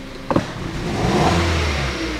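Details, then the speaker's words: 2012 Hyundai Solaris 1.4 automatic FWD, 108,000 km, check engine light on: brief stumble on sharp throttle, then rough, labored rev climb, rich fuel smell from exhaust; cylinder misfire, ignition coil or spark plug suspected. "воняет топлива из выхлопной смесь богатая такое впечатление что какой-то из цилиндров не работает то ли катушка то ли свеча подозрение на нее"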